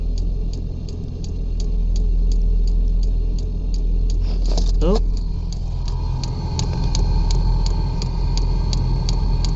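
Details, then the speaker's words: 5 kW diesel air heater in a truck bed, first fire-up with the truck engine running: quick steady fuel-pump ticking about four a second over low fan rumble, then a torch-like whoosh as the burner lights; normal ignition, no smoke. "it's making a torch sound we got some exhaust gases coming out oh is it lighting oh it stopped making noise oh it sounds like it lit yeah sounds like a lit so the first fire up no smoke which is really good"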